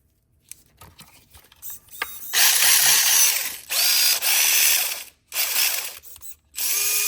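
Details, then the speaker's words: FMS Chaser 1:24 RC rated for 2S, running on a 3S LiPo after the rear gear shaft screw was Loctited and tightened: high, rising whine with raspy grinding on each throttle burst; gearbox still noisy. "Still sounds like the devil inside, but it will run on 3S, so that's pretty sweet."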